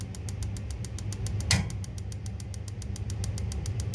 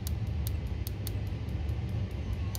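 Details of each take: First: Church boiler with pilot tube, two solenoids and electronic ignition via HT lead, previously locking out from a shorted ignition lead, after cleaning and rerouting the wire: crisp sparking ticks about seven a second, none missing; pilot tube suspected full of air. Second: Boiler with two solenoids, pilot tube and electronic ignition via HT lead, locking out: sharp crisp ticks about five per second over low burner rumble, no spark seen at the pilot; spark arcing out along the HT lead.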